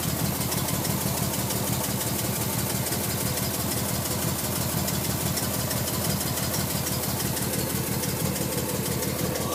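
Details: Nissan R33 RB25DE (non-turbo) six-cylinder, cold after sitting a day: slow lumpy crank, then uneven idle with about three stumbles a second, misfiring 5-10 minutes until warm, spitting water/fuel; coil packs and spark plugs changed without effect, air flow meter suspected.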